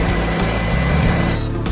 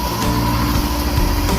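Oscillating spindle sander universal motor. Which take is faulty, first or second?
second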